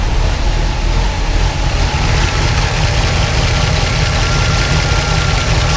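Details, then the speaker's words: 1976 Pontiac Trans Am twin-turbo big block with solid roller cam on Microsquirt, throttle blade adjusted after fixing 2000 rpm idle: about 600–660 rpm, short of the desired 700; low, slightly lumpy but steady idle, deep rumble, no knocks or misses; idling much better. "But yeah, that's idling so much better now, though."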